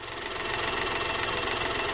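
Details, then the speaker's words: 2015 Mini F56 1.2-litre three-cylinder after spark plug replacement idles with a smooth regular pulse, no skipping cylinders or timing issues, over light traffic; running cleanly. "It's running really nice. It's only a 3-cylinder, 1.2. Everything, there's no miss of beat, if you know what I mean, like skipping cylinders."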